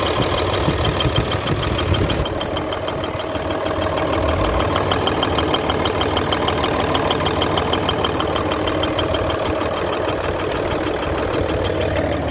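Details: Hino Euro J08C six-cylinder truck diesel idling with a sharp, steady knock about twice a second over the clatter, coming from the air compressor side. Air compressor connecting rod knock.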